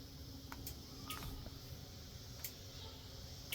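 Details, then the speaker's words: 1996 Sea-Doo Speedster with MPEM removed and rewired: a few sharp, separate clicks about a second apart as the kill switch engages the relay solenoids, opening the coil ground circuit; normal relay clicking. "don't know if you can hear that, but when we engage the kill switch, the solenoids are clicking back there. Meaning that it's opened the circuit, so the coils aren't grounded out, it should run."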